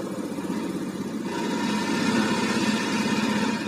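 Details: Fuel-injected motorcycle during fuel-pump pressure check, engine idling, pressure reading 41 psi (about 294 kPa, matching the 294 standard): steady single-cylinder putter at about four beats a second, even with no knocks or misses; normal idle.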